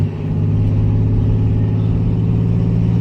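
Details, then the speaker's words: Salvage Cadillac Cimarron automatic, possibly a three-speed, road test: engine pulls steadily with an even drone and no flare or thump through the shifts. The transmission shifts smoothly and sounds normal. "but it shifted smooth enough into those two i'm not concerned"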